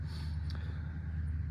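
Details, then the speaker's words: Jeep with Chrysler 3.7 after lifter replacement: low, lumpy idle with uneven beat and skipping cylinder; misfire on cylinder 5 from a valve bent when a lifter gave way. "um i' I've dealt with stuff like this before don't worry guys um this valve right here in the number five is bent"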